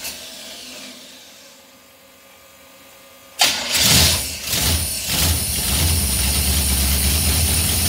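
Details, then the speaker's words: Small-block Chevy 307 with FiTech fuel injection, cold and unstarted at about 40°F. After priming, it catches on the first try in about three seconds and settles into a steady, even fast idle. Normal cold start. "Unlike the carburetor that you have to do a lot of pumping for it to start up, here you just turn the key, let it prime, fire it up, and it starts right up. Engine is cold, hasn't been started at all."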